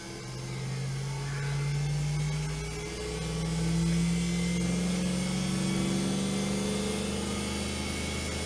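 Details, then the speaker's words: 24 V DC treadmill motor with its speed control circuit, intended for a Simat 101 lathe, started then sped up: smooth electric hum rising in pitch then holding steady, no grinding or rattle; healthy motor. "you see the motor fairly silently bursting into life there that's quite useful so that's obviously working uh and uh responds to speed can hear it going a little bit faster now that's the motor running at a decent speed"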